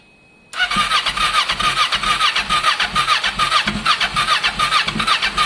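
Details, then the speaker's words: Kawasaki ER6n project bike, first start after priming on a lowish battery: catches quickly, settles into a pulsing, slightly uneven idle with sharp exhaust edge. Owner suspects old fuel in the lines still flushing; plans to leave it idling 10 minutes. "That's the sound. That exhaust sounds interesting. So there would have been some fuel left in the lines. I want the old fuel to flush out on idle, and then the new fuel to take over."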